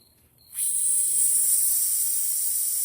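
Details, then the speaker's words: Refrigerant gas escaping from a leaky Schrader valve fitting on a Jeep's AC system during vacuum and recharge service: a sudden, steady high-pitched hiss with no rhythm. "That being said, we went ahead I apparently have a leaky fitting up here, Schrader valve."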